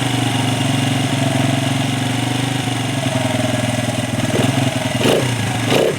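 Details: 1996 Honda XR100 four-stroke dirt bike, sat two years, after carb cleaning, started on second kick: even single-cylinder thump, crisp throttle blips, no knocks or misses; runs healthy.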